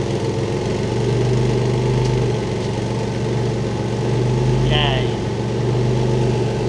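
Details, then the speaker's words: Early 2.5 Porsche Boxster 986, fixed after air-oil separator replacement: even note swelling and easing with each throttle blip, no knocks or misses; healthy. "What I meant to say is, great news! It's fixed! Look!"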